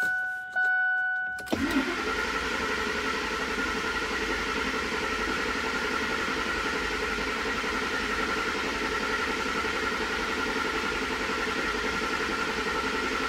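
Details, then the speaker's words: Ford 5.4L 2V Triton after a full timing set replacement, crankshaft sensor disconnected: chime beeps, then a long, steady crank with no firing. The engine is spun to prime oil until the gauge shows about 10 psi. "You wanna leave the crankshaft sensor disconnected, and then we're gonna come over here, and we're gonna crank the engine until you get some oil pressure over"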